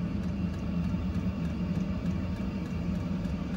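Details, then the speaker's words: Portable Chinese 12V 8kW diesel heater fitted on a boat, raised to maximum setting 5.5: crisp fuel pump clicks speed up to about three a second over a rising blower hum as more fuel reaches the burner. Normal operation at high output. "So now the fuel pump has increased. The clicking you can hear has gone faster, so it's now pumping more fuel to the burner. The fan's increasing."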